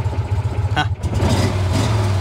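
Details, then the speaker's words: 2018 Mahindra Retriever 750 in neutral, in for a charging problem with battery voltage stuck at 12 V. Low, lumpy, lawnmower-like note rises smoothly with throttle and settles; normal engine revving. "This thing sounds like a lawnmower."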